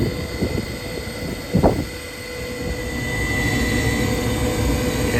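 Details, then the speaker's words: Gas furnace just fitted with a transplanted new heat exchanger, first firing with a little smoke burning off: thin steady high whine over the draft inducer motor's running hum; owner may swap in a spare inducer, unsure it is better. "that draft inducer is is whining a little bit I don't know if that one's any better honestly"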